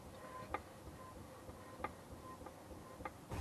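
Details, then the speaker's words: BMW rear wheel rocked by hand in a quiet shop: a few sharp, separate clicks about one per second; owner suspects worn outer CV joint at the wheel end of the driveshaft rather than the diff. "i can actually hear a clicking a little bit more investigating this wheel i think my hunch was right i think it is this uh outer cv joints or the the wheel end of this of the driveshaft"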